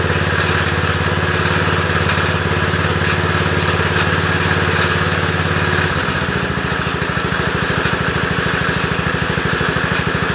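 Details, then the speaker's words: Lawn tractor, cold start on a cold day, idling: small engine with an uneven pulse and a faint scraping hiss; the cooling fan broke off inside and rubs the plastic shroud as the engine spins, making a plastic smell. "I just hate why it did it I don't know why it did it just broke so the engine spins on it so it's rubbing onto the plastic and it makes a plastic smell"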